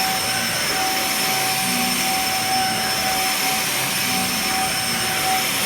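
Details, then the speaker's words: Dyson DC50 vacuum after repair, on carpet: steady high-pitched whine over strong suction hiss; suction restored but motor still whines noisily, not necessarily loud. "yeah that's not bad it's just so noisy it's not necessarily loud but the wine is just waning"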